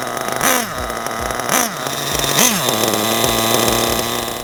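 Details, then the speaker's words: Basher SaberTooth 1/8 nitro truggy during break-in, running cool at a bit below 200: it blips up and sags back between slow, soft running; rich and lazy. "Alright, so we just temped our engine. It was running a bit below 200. So what we're going to do is we're going to lean the main high-speed needle about 1/8 of a turn, then run it around some more, and then retemp it and see if we have to adjust it anymore."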